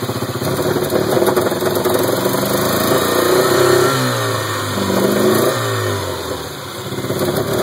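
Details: 1977 Porsche 924, 2.0L with CIS (K-Jetronic) fuel injection: idle hunts and wavers, pitch sagging and surging every couple of seconds instead of holding steady; rough idle.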